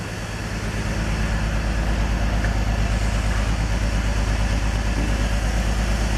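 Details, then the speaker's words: BMW E46 with a rough, uneven idle misfire. After swapping coil packs the misfire followed to a different cylinder; code P1343 (cylinder 1 misfire) points to a bad ignition coil pack. "now theoretically should still have the problem on a different cylinder yep there it is so still doing it"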